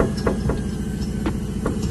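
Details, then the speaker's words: 2007 Nissan Tiida rack and pinion: irregular dull knocks, about five in two seconds, each time the rack is pushed, over a low hum. Worn rack and pinion knocking; to be repaired by rebuilding rather than replacing. "You're supposed to have that noise, so you push inside of the rack and pinion, we're going to repair that."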